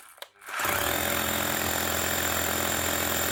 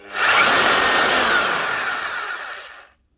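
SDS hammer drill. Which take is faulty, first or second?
second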